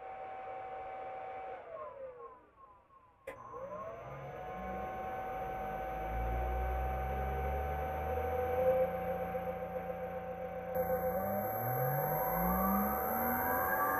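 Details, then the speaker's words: Treadmill induction motor for a bandsaw after first-time replacement of rattling motor bearings, run unclamped on a bench through the VFD: smooth electric hum, pitch climbing steadily as speed ramps up, no rumble or growl; normal motor run. "well I know you didn't hear it before but that is so much better"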